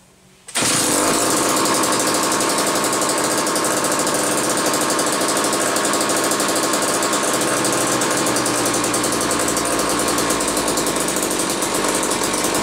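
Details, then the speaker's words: Old McCulloch 1-40 chainsaw test run, very smoky: fires abruptly, loud raspy uneven burbling beat, rough running; owner suspects bad crankshaft seal on one side or crankcase sludge, possibly needs carb rebuild kit; tuning not far off, cause unconfirmed. "well that's a smoky mouse I'm not totally sure what to make of this one it almost acts like it could have a bad crankshaft seal on one side"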